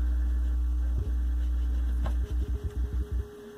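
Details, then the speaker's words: Velodyne F-1200-B subwoofer after repair of the servo circuit for low-frequency oscillation, playing a test signal: clean, steady deep tone with no wobble or runaway thumping, topping out evenly at the limiter without clipping; no oscillation. "well that's good yeah it's not oscillating that's good other than the signal I put in it"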